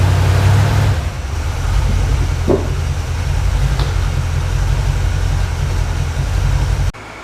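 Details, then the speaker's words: 1980 Camaro 2nd gen, freshly built Chevy 5.7 (350) V8, idling indoors while being backed off stands: deep, steady, slightly lumpy rumble, no knocks or ticks. Normal idle; an oil leak near the transmission inspection pan was found afterward. "I'm gonna back it off these stands let it idle it's hitting level so that is what I'm gonna do now"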